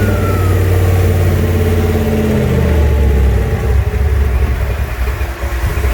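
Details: Junkyard 351W turbo V8 in a 1967 Mustang, first fire-up, exhaust exiting off the fender; deep rumble climbs on a rev then drops to a lumpy uneven idle, rough running, needs a tune; no leaks seen.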